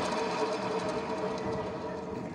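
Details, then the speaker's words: Honda Beat automatic scooter, rear wheel spun by hand or scooter pushed: dense rough whirring grind from the rear drive; mechanic suspects worn rear pulley bearing (laher pully), unconfirmed. "saat motor didorong atau motor roda belakangnya diputar terdengar suara berisik ya suara kasar ya"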